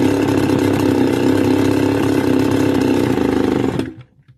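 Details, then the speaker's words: Stihl FS280 brush cutter two-stroke, idle raised by half-turns, still shuts down as engine warms; high buzzing steady run then abrupt cutout near four seconds. Spark present; stalls when hot, cause undiagnosed. "So there you go, it shuts down again. So it does not matter how much you increase the idle, as the temperature of the engine increases, it have a tendency to shut down."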